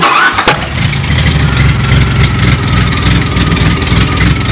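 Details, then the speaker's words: DeLorean started hot after a simple fix for its common hot-start problem: brief crank, then it fires right up and settles into an even, steady idle with no stumble or hesitation; normal hot start. "If you've done everything correctly, you should be able just to get in, well, not even get in, turn it over."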